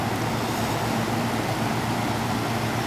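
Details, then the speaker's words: Cheap Chinese-made Samsung window air conditioner, a dump find, switched to cool: the compressor kicks right on with a smooth fan rush over a low, even compressor hum, no rattle or cycling; normal running. "let's go over to cool and see what we got on cool our compressor is kicking right on so let's let this thing run a little while and see what happens"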